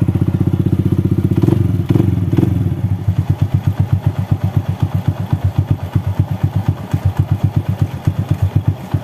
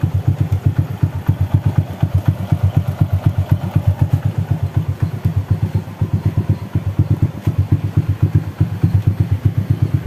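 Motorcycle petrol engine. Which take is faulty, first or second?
second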